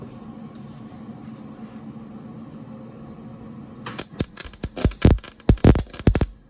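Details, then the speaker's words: 1965 Mustang front frame rail rust repair, welding on rotted, thin metal: a low hum, then irregular sharp crackling bursts with gaps instead of an even sizzle; the weld spits erratically on the rusted metal. "You hear that? That sounds rotted."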